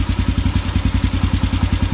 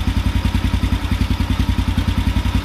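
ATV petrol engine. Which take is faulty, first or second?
first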